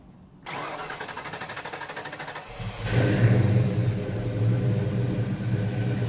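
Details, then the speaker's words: 1992 Fox Mustang after A/C compressor clutch replacement and new tight serpentine belt; cranks, catches, settles to steady even idle, no belt squeal or clutch chatter, compressor spinning freely. Normal running. "Here I'm just looking over everything, making sure this new serpentine belt's looking about the right length, the tension is good, and I can see the AC compressor is spinning nice and freely, that clutch is no longer catching like the old one."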